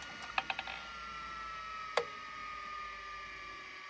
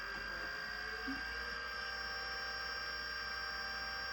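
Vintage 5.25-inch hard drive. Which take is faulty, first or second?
second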